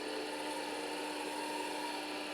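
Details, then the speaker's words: Roughly 40-year-old hard drive in an IBM 5161 expansion unit attached to an IBM PC 5150, powered on after reassembly; a loud, steady high whine with a low hum as it spins up, showing the spindle motor runs but is abnormally noisy. "that's like that's like a 747 taking off that's a good sign the spindle motor is cranking"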